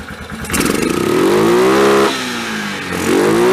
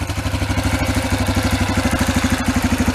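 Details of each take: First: 2003 Yamaha Kodiak ATV single-cylinder, just reassembled and started with a little choke. Picks up cleanly on two blips, climbs evenly, holds and drops back smoothly. Normal revving. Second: 2003 Yamaha Kodiak ATV: uneven, loping single-cylinder beat near three per second with some clatter; engine falls flat and breaks up instead of revving, reaching only about 15–20 mph; suspected rich-running carburetor.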